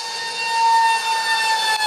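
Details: Su-35 RC jet with twin EDFs, 5-blade rotors, 2600kv motors on 6S, last flight before repair: high steady whistling whine with hissy edge; cheap shaft adapters and vibration-detached mounting pads, later replaced with WeMoTec shafts and epoxied mounts.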